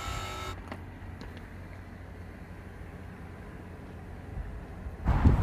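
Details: Outdoor AC unit with compressor running: low steady hum with no fan whoosh; condenser fan not running because its capacitor has lost its power.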